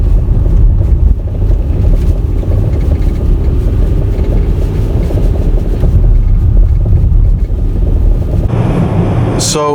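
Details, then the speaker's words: 2016-2017 Volvo XC90 T8 at about 60,000 km, recorded from the cabin: dull clunks from the front air suspension over small bumps at low speed, buried in cabin rumble; the front air struts were repaired under warranty. "front of the suspension was making a slight of clunking noise whenever you would drive over small bumps and you really noticed it when you were going at low speeds"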